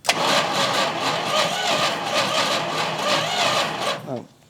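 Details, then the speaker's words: 1971 Plymouth Road Runner, 383, unrun since 1989, after filling the carb bowl: four seconds of quick, uneven cranking with sputters that briefly catch but never settle. Hard start; possibly flooded, carburetor float suspected stuck. "are you flooded buddy ow wow that Cable's hot oh we caught that time she's a little wounded I think the carburetor is not"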